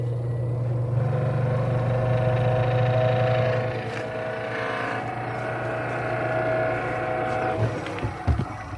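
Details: Twin-tub washing machine spin motor after rewiring, running with a steady low hum and even whir; it had not turned, only humming or spinning weakly.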